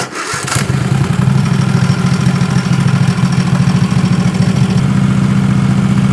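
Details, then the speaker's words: 20 HP Tecumseh twin-cylinder racing mower engine with dual 34mm PVK carbs, after adjusting air screws a quarter turn at a time: quick start, then a steady even beat with no stumbles or surging. It runs clean, much better than before. "So, I just confirmed it's running much better. It's running clean."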